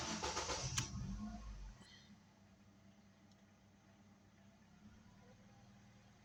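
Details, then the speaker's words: Ford Focus III that cranked but would not start (wet plug, spark present, also no start on gas), after fuel tank work with fuel pressure holding about 3 bar: brief cranking, then quiet steady idle without stumbling; no warning lights, normal start and idle. "контрольні лампи в нас не горять. Не світять. Автомобіль працює справно."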